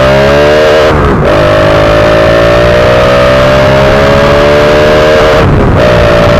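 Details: Fuel-injected Honda Wave 125i on the road after replacing the fuel injector to cure a rich, stumbling condition. The engine note climbs smoothly through the gears with clean drops at two upshifts and no hesitation; acceleration is now normal.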